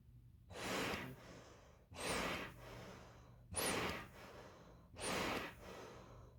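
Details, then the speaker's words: Full face CPAP mask: the silicone safety flap pops open when breathing demand exceeds the delivered airflow, giving airy whooshes about every 1.5 seconds with a flap pop on each breath. Patients may be advised to ask their physician for more airflow. "Hopefully that made it easy for you to see, like, when they demand more air than it's giving them, how it pops open and lets that extra air in, and it can make that kind of a sound when it's doing it."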